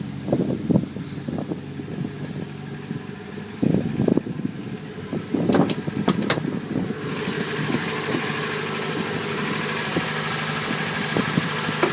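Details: 1999 Honda Civic Si idle with irregular sharp knocks for the first few seconds, then evening out under a hiss; sounds like bottom-end knock, owner suspects a spun bearing and possibly needing a shortblock, unconfirmed.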